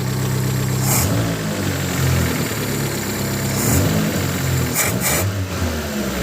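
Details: 1989-94 Mazda 323 BG with a new aftermarket air cleaner, carb tuned and re-plumbed: a steady idle with a few throttle blips that rise and fall smoothly, no misses or knocks. It runs healthy.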